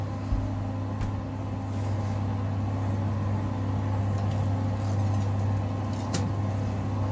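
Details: 5 kg Simpson clothes dryer after rear bungy belt replacement: constant low hum with faint airy rush, no slapping, squealing or rubbing; fixed, running normally.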